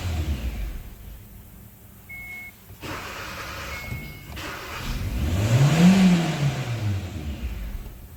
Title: P1690 Kia Cerato Kia Forte No start and start and die condition ECU faulty